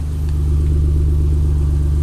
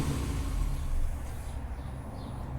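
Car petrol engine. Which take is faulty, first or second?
second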